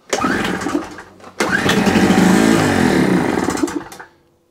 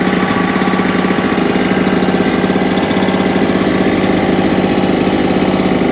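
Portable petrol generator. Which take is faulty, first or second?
first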